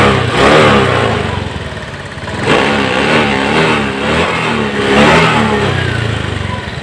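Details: Honda Beat ECO scooter after fixing TPS voltage (0.80 to 0.48 V) for stalling, weak power and late throttle: picks up cleanly on three blips and drops back smoothly, normal throttle response.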